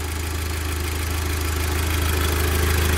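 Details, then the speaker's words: Audi S3 8P TFSI, idling after the cold start finished: smooth, even low rumble with steady pulses and no knocks or ticks; a healthy warm idle. "smooth for tfs like okay so it's been about 25 minutes now the car seems to be warm i've not had any weird noises or anything funny like that happened so i think it's mostly been a success"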